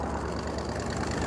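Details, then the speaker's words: Supercharged Mercedes G55 AMG, bought with a blown engine and smoking, just off the trailer: rough, uneven idle with a lumpy low beat and a missing pulse in the rhythm, one cylinder dead. "i like it so far it sounds kind of bad it made it it sounds really bad"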